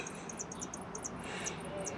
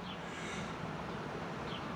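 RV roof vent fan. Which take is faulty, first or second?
first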